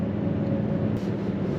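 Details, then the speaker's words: Toyota Tundra cold start at 0°F (5°F on truck display, about -15°F windchill), coldest start yet; catches and settles into a steady, even low idle with no misses or knocks. "I don't know if you could hear that, but that was an interesting start. The coldest start I have ever started this truck."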